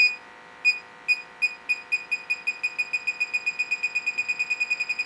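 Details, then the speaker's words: Electronic gas detector on a Rheem furnace gas line: high chirps quicken into rapid steady beeps; technician notes nicotine residue from smoking on his fingers can trigger it. "I smoke therefore it's picking up like nicotine residue or something on your fingers that'll set it off so we got pretty good mount little beeps here"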